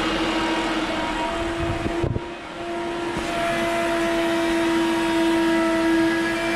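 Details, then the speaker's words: Electric fuel pump on a Shelby Cobra replica with 2003 Mustang GT 4.6 V8 whines loudly at one steady pitch; not enough flow from the tank, clogged pickup tube or rollover valve suspected. "is a very loud fuel pump"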